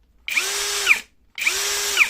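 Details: Single-lock (one-hand chuck lock) cordless drill in low speed 1: two short high-pitched runs, each winding down smoothly with no rasping krek click at the end of rotation, unlike speed 2; smooth stop without click.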